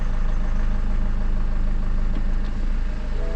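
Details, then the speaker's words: 2007 BMW 520d E60, M47 diesel: low, uneven chugging idle that sags and nearly stalls when put in drive; boost pressure sensor code; cured by removing the EGR vacuum hose, pointing to the EGR valve. "And now it's in the gear. So almost the engine died."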